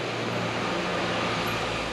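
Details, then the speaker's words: Rebuilt 1985 Nissan 720 engine, first start after over a month, in neutral with oil pressure confirmed: steady, even, smooth idle with low rumble. It is burning some oil, so the idle is to be raised. "that's water holy buckets does that sound good"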